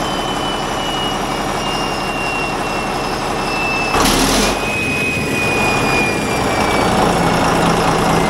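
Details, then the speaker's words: Caterpillar D8 bulldozer diesel, started with pony engine, shutting down: heavy rumble winding down with a thin whistle dropping in pitch over it; turbocharger noise, turbo issue suspected since first run. "yeah there's there's a turbo issue oh boy oh that's a bummer turbo issue"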